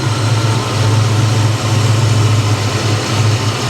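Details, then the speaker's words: 1989 Ford Mustang V8 with a manual transmission, idling after its fix on 91 octane, with fuel pressure expected near 40 psi: a deep, steady burble with only a slight lope and no misses, knocks or hesitation. It is running healthy. "Yeah, she's back. She's back. It runs great, guys."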